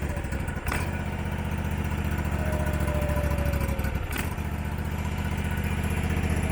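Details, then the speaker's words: Abandoned Husqvarna mower, possibly a 2002, V-twin, first start: idle rises and sags in waves over a low chug, no backfire; surging idle, owner suspects the carburettor. "wow you can tell us he's surging any backfire nope"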